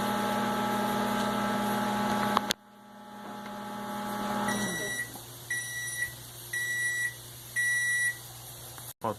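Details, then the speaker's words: LG MS3042RA microwave after repair of blown LNK364 power supply IC, replaced with extra supply board from another microwave, 30-second run: even transformer hum, clean cutoff, four end-of-cycle beeps; heats and finishes normally. "Ele tá ligando, beleza. Vamos pressionar iniciar aqui, 30 segundos. Já iniciou. Vamos aguardar."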